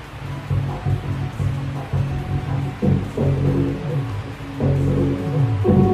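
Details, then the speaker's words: Car subwoofer power amplifier after replacing the scratchy gain potentiometer: subwoofer test music with firm clean bass as volume rises, no crackle or scratching. Clean amplifier output. "sudah tidak bunyi gosok-gosok lagi Sudah aman ya kayaknya ya karena potensinya juga sudah kita ganti"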